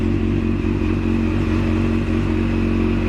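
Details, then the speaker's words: Yamaha FZ8 with no-start-from-button complaint, reinstalled weaker battery: cranks slightly longer, fires and settles into a steady even low thrum with no clatter or stumble; battery takes charge. Normal running. "so once again I show the battery of course it turns a little longer because it is a little weaker here it is, but it still starts"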